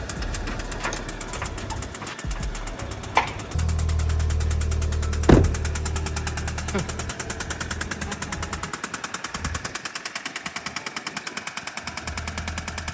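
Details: Audi A3 8P running with sharp regular knocking about three per second; owner suspects bottom-end knock, at worst crankshaft, main and rod bearings, or worse damage; unconfirmed.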